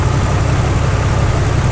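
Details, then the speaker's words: 2000 Jeep Cherokee XJ after fuel pump replacement for hard morning starting: steady even low idle rumble, no knocks, misses or surging; fuel pressure restored, engine a fraction smoother. "Well, with a new fuel pump installed, it seems that the engine is running just a little bit smoother than what it was before."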